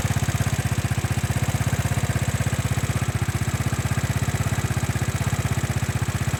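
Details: Small motorcycle that would not start, after ignition and fuel checks, new spark plug, cleaned and tuned carburetor, retuned for stalling at idle: even, regular idle putter of about four firing pulses a second, no hunting; some needed parts not replaced.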